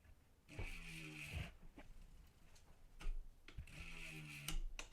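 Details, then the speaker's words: MTB wheel with a brand new 180 mm disc rotor on a new Shimano 20 mm offset frame adapter, spun to check alignment before any adjustment. Quiet free spin with soft hub ticking and no scraping. The disc runs clear with no rotor rub. "With a brand new brake disc, and if your mount is brand new and everything, you shouldn't get that rubbing. The disc should be straight."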